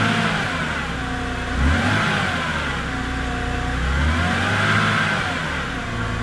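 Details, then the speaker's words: BMW E90 N52, 269,000 miles, cold start a week and ~100 miles after engine flush, Molygen oil change and lifter additive: steady idle with faint light valve tick remaining, much improved; additive said to need 400-500 miles. "There is still a little bit of valve noise, but according to the bottle, that should quiet down."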